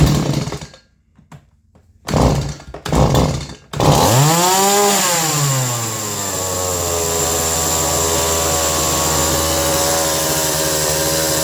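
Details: Stihl MS 180 chainsaw after a carb rebuild, fixing a fault where it idled way too fast when dropping out of throttle lock; a few pulls, catches, revs hard, then settles to a steady even idle; runs clean.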